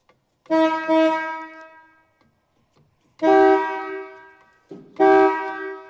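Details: Original horn of a one-owner 1960 Pontiac Catalina convertible stored since 1985: three loud honks of a steady, slightly sour two-note tone, clean and strong; horn works.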